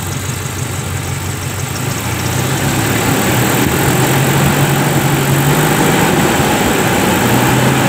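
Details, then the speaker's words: Toyota Kijang petrol engine testing a repaired emission-control module: steady idle with test lamp lit, smoothly rising revs, lamp going out at high throttle showing the solenoid now works; normal idle and rev. "Nah jadi ini mobil sudah hidup ya saat stasioner lampu menyala seperti ini kita akan coba gas Apakah lampu bisa mati ya saat kita gas tinggi"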